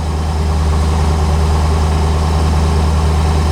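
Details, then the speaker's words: 1985 C4 Corvette V8 idling cold at 14 degrees after the negative battery cable connection was fixed. Even, steady low idle with no misses, knocks or surging; battery charging, oil pressure good, oil and coolant temperatures still too low. Normal. "And as you can hear, running. Battery's charging, oil pressure's good, RPMs are good."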